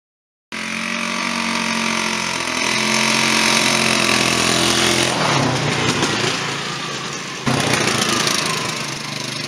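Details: Rebuilt 1998 Polaris 500 ATV single-cylinder with new head gasket, cam and carb: fires right up, holds an even idle and picks up cleanly on a light blip. A healthy idle.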